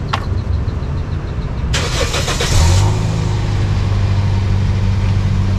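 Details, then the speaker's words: Toyota Vios NCP93 with a suspected faulty ignition coil, where the owner complained of jerking and low engine oil. Started in P with handbrake on: a brief crank, one-kick start and a steady low drone at idle, with no stumbling yet. "Okay. So far kita start engine senang, one kick. Kita biar dia running sekejap, tengok macam mana."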